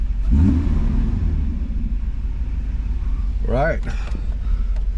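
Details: 1991 Mercedes 500SL, 39,000 miles, recurring high idle, idle control valves replaced, warm at about 82°C after 10–15 minutes: low, steady rumble with no hunting or surging; normal warm idle, owner thinks the fault is fixed.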